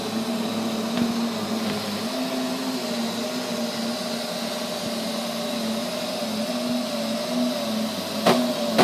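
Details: Neato robot vacuum, used fewer than 30 times, suddenly making loud noises at random intervals and lengths: steady motor hum with sudden harsh loud bursts near the end; cause unknown.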